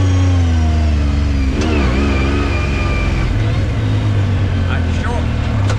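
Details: 2019 Yamaha YXZ1000R SS side-by-side with 5-speed sequential gearbox and paddle shifters, test drive: engine revs under a thin gear whine rising and falling with road speed through the shifts; normal gearbox whine.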